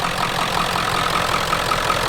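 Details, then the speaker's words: 1997 Ford F-250 4x4 7.3 Powerstroke diesel after no-start repair: even, quick clatter at idle with a steady low rumble, no misses or knocks; idling normally. "But as you guys can hear, this thing sounds awesome."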